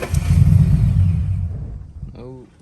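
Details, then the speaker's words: Flood-damaged Mustang restarted after sitting about 15 minutes. It catches with a rough rumble, runs about two seconds, then dies. Owner suspects the spark plugs, and it later runs fine. "nope she died it's very weird let me try it again see what happens"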